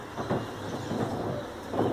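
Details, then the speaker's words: Roller door after the squeaky-door fix, done a couple of days earlier: low even rumble while rolling with no squeal or shriek; quiet as a church mouse. "as a church mouse, so that's for all the doubters out there that this doesn't work it does"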